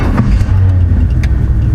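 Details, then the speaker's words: Chevy pickup, hot restart after earlier refusing to restart once at temperature; fires right back up and holds a deep steady rumble with no stumble; normal hot start. "perfect fire's right back up so i dig it"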